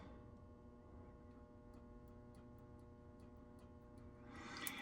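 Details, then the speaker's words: Rheem HVAC after fixing a low-voltage short in a wire: faint, slightly uneven ticking from outside over steady indoor hum as the condenser contactor clicks in normally. "And I hear that contactor clicking outside. Beautiful. So what that tells us is we've got it fixed."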